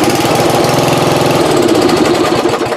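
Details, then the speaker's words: Riding mower started with full throttle via booster cable from a not fully charged 3S LiPo (about 11.9 V), drawing over 40 amps cranking: fires straight away, runs steady and even; normal. "so it started no problem but we did see the oil there so it's drawing more than 40 amps"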